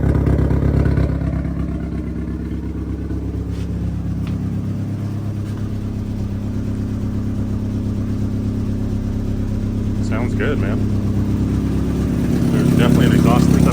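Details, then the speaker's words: Freshly built 3-inch oval exhaust, just started and idling before warm-up: steady, slightly uneven puffing chuff and truck-like rasp from the front pipe; an exhaust leak felt up front that still needs fixing. "leak up here. Yeah, I can feel it. So we'll have to fix that."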